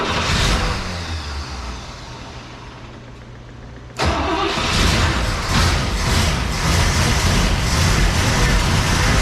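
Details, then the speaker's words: 1961 Cadillac V8 after carb vacuum lines and new points: low hum, then engine catches with steady even beat and smooth throttle blips; timing sounds slightly retarded, otherwise runs smooth. "Sounds like it's a little... Ooh. Retarded a little. Yeah. Not bad."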